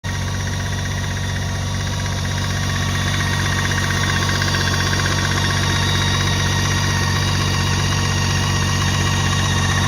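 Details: BMW GT 1600 (K 1600 GT), 2017, recorded at the engine: steady idle with a light, quick, even ticking over the hum; source of the ticking unclear.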